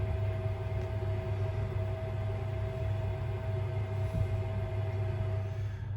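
Smooth, even low hum with a faint steady tone and no gurgling or knocking; the boiler is running normally.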